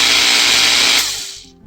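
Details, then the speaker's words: Makita GA5010Z 120V 10.5A angle grinder run on test: harsh rough gritty roar then winding down, grinding from the bevel gear reduction area; worn bushing or bearing suspected, bevel gear possibly wedging. "grinding sound from the gear reduction part with the bevel gear uh seems like we might have some worn out bushing or bearing"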